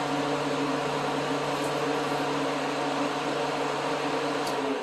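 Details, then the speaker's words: 2005 1500 truck after P0481 repair, fan relays 1, 2 and 3 commanded for high speed via scan tool: steady, even rushing roar with low hum, no rattle or scrape; radiator fan running normally on high. "and now we'll do high speeed with one two and three turn it on now you can hear the high-speed fan kicking"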